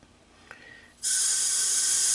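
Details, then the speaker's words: 1983 Honda ATC200 with low compression, leak-down test at top dead center with the crank locked. Sudden steady loud hiss of air escaping through the carburetor; an intake valve leak is suspected from dirt past the poor air cleaner, unconfirmed. "there appears to be a lot of air coming out from the carburetor"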